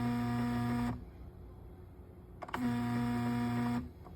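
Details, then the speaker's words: Honeywell fan with blade removed: motor hums with steady low buzz and strained tone in two bursts, abnormal noise; motor running unusually hot. "Something's wrong with this fan. I mean, I took the blade off and stuff, but for some reason, it's making a really weird noise."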